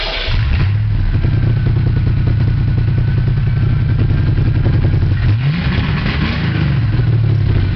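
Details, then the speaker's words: 1987 car started briefly at the shop; deep loud steady exhaust drone at idle with one brief rev blip near the end, exhaust fumes bad and car very loud. "so i know that was crappy sound and this car is real loud"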